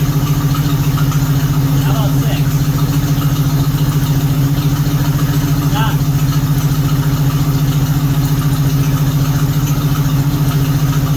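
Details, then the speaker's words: 1976 AMC Gremlin 232 inline-6 with a failing fuel pump, idling lumpy and loping with shake during a plug-wire pull test. Cylinders 5 and 6 are dead, so the engine runs out of balance and vibrates under throttle. "So there you go. We'll figure that out pretty quick, that 5 and 6 aren't good."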